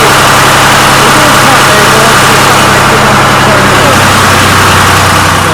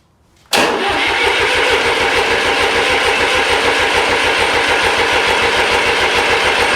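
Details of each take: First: Restored 1993 Lombardini diesel generator, started on an old weak battery: loud, steady diesel clatter at an even idle with no misses or hunting; oil pressure light went out instantly, showing good oil pressure. Normal idle. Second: Restored 1993 Lombardini diesel generator cranked while injectors are bled: steady cranking about three and a half compressions a second, never catches; no diesel at injectors.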